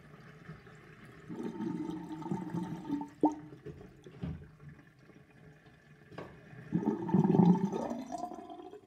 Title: Old sinkdrain with universal sinkplug 45.5 mm & plastic ring & little whirlpool and gurgling sound